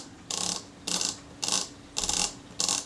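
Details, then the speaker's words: Kodak Retina IIa camera reassembly of the frame counter and film-lock assembly; crisp, evenly spaced ratchet clicks as both ratchets, frame counter and end-of-film lock, drop in properly. "rotate it in the direction of the arrow until I hear the ratchets drop in. There are two ratchets going there, one for the frame counter, one for the end of film lock."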